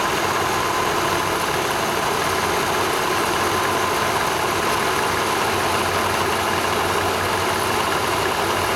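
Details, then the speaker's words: Vespa 400 engine after assembly (replaced No. 2 cylinder, welded case lip, new generator pulley, rebuilt generator, new bearings and belt), started cold on choke: steady even two-stroke buzz, no knocks, misses or surging. "choke okay we we have your motor running we will run it uh for another few days seat the Rings and it'll be ready to go"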